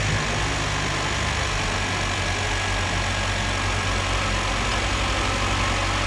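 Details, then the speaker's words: Second-generation Chevrolet Cruze turbo petrol engine, just fitted GFB diverter valve, revving in neutral (only 5-7 psi, not a full valve test): steady even roar, smooth hum, no knocks or rattles; sounds healthy. "okay so this thing sounds pretty good just revving it in neutral uh the car can only hit about five to seven psi so that's not really a full test of the valve"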